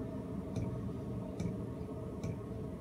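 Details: Cheap eBay 12V 5kW diesel air heater on a bench test, on the low setting: soft, even ticks about once every 0.8 seconds over a low steady hum; fairly quiet, normal dosing pump ticking.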